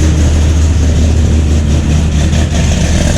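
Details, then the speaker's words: C6 Corvette Z06 V8 after heads, cam and intake work with the exhaust leaks fixed, exhaust butterflies closed: deep, loud, even idle rumble with no clicking. Still rowdy, but a normal idle. "There you go, no clicking. Exhaust leaks, done."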